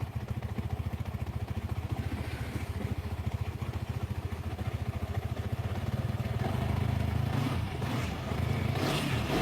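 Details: Small single-cylinder motorcycle idling after adjustment; even steady putter rising smoothly when blipped, no top-end rattle, earlier frightening noise gone; healthy, pending test ride.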